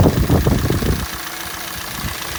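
Heavy, rapid low knocking over the idle for the first second, then a quieter, smoother run; it is a cold-engine knock of unknown cause.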